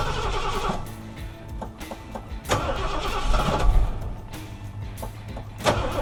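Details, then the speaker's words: 1976 Ford F100 with 460 V8 after long storage, carburetor just rebuilt, old fuel partly drained: uneven lumpy running with surges and sags, dead on one side for a while; owner suspects fouled plugs and old fuel, unconfirmed. "it was definitely dead on one side there for a little bit wouldn't even be surprised if the plugs were all filed out there"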